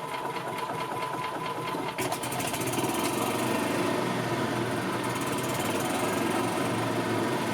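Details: 2000 Yamaha G16 gas golf cart, running after sitting since 2013, weak battery just under 12 volts, charging system putting out about 15 volts: a small engine at a steady fast patter with no misfires or knocks, running fine.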